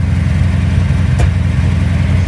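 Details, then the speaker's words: Engine just fitted with an Edelbrock 1405 carburetor and manual choke cable replacing a QFT, freshly started: loud, even low rumble held at a raised idle; still on the choke's fast idle cam, also backfiring through the exhaust. "Oh, it's on the fast idle cam. I didn't realize that."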